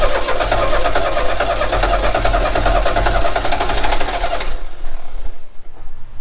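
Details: 1969 Renault 16, not run in years, cranked on an external fuel supply after an earlier no-spark fault; even, rapid cranking chuffs with the odd heavier catch for about four seconds, but it never starts. Owner considers new plugs and HT leads; cause unconfirmed.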